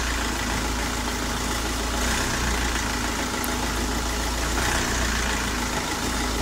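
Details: Vauxhall/Opel Astra H Mk5 common-rail diesel at idle, loud steady clatter with an uneven lumpy beat every couple of seconds; cause suspected, not confirmed: diesel rough idle.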